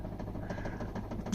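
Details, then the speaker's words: 1993 Ford Transit camper van: quiet steady electric buzz with fast light ticking from the carburettor fuel pump, which had stopped working but now springs into life and runs normally; about four gallons in tank. "turn that off for a moment cuz you can hear the uh the uh the carbo pump that decided it didn't want to be a pump anymore has now decided to absolutely spring into life"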